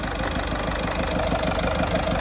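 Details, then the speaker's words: Ford Fiesta 1.4 TDCi diesel, 2006/2007, final start after engine rebuild and steering pump repairs; even diesel clatter with a steady low beat at idle and no knocks or misses, described as how this engine should sound. "Şimdi son kez paranı takıyoruz aracımızı çalıştırıyoruz ve son kez sesini dinliyoruz şimdi abone ol abone ol Fiat [Alkış] 1.4 T c i sesi bu şekilde olması gerekiyor"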